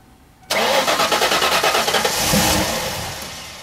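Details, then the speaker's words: 1995 Mustang Cobra after replacing fuel filter and bad fuel pump (previously kept dying): brief cranking catches at once and settles into a strong steady run, rising then easing; clean normal start. "alright so there you go with a bad fuel pump all the time car started running fun"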